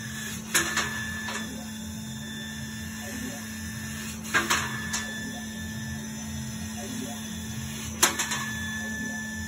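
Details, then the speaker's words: CO2 laser, 100 W-class tube, cutting plywood at 70% power, speed 18: thin high squeal from the tube and head after changing to new distilled water at 17°C; cut power dropped; fixed by replacing the water. "то есть тоже слышно писк"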